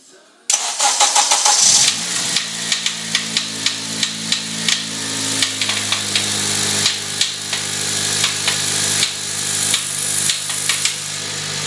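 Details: 2008 Honda Civic Si: once the engine catches, sharp, uneven, loud knocks cut through the idle several times a second; came on suddenly, cause not yet known. Engine knocking.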